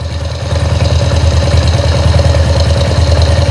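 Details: Small motorcycle engine after an engine rebuild, whose oil pump was not lifting oil; the cause was a cover found on the clutch side. At the oil-flow test it idles with a steady, even low thump of about three beats a second, no ticks or knocks.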